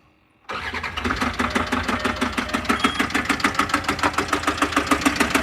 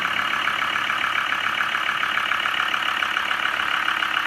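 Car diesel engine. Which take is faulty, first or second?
first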